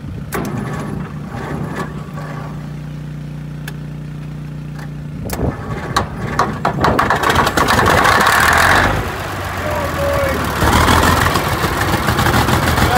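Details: TD25 diesel dozer first start after sitting 20 years (speaker says about 10), with water drained from the tank after the fuel cap was stolen and new batteries fitted; it catches and settles into a rough, steady idle that evens out as fuel comes in. Normal.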